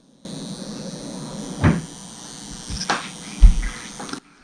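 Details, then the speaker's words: Honda CB500X with newly installed heated grips, engine off, ignition on, set to red (hottest): faint steady high-pitched buzz from the throttle-side grip element, with a few handling knocks; normal operation, buzz not noticed before with engine running. "Red's the hottest. The throttle tube side actually is buzzing."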